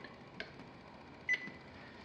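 Three short, clear high beeps about a second apart over a quiet room: the microwave keypad is responding normally.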